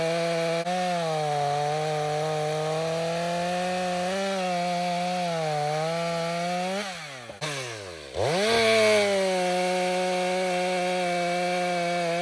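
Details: Stihl MS 500i chainsaw cutting after its chain was sharpened with a two-in-one file; steady high scream sags briefly under load, then snaps back cleanly, cutting well.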